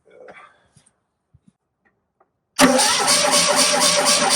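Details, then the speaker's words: Rusty Polski Fiat 126 after carburettor rebuild with new jets from a kit: starter spins the engine at an even, steady crank for two seconds but it never catches; crank, no start. Owner suspects a faulty ignition key barrel. "Still no go. I've just tried it again there, and as I turned the key off, it went, well, it sounded like it wanted to start."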